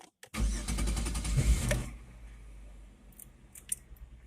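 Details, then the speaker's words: Chevrolet Venture after fuel filter replacement, fuel pump primed with key-on: brief cranking, then the engine catches quickly and settles to a calm, even idle with no stumbling or misfire. "That's it. Sounds good."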